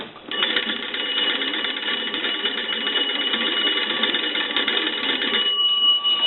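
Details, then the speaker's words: Dean Electric Company wood wall telephone, after repair: magneto oiled, points and connections adjusted, network board installed. Hand-cranking gives a steady, bright, continuous bell trill for about five seconds, clean and strong. "so now just like before when you crank the telephone the bells will ring but when you get a call the bells will ring also"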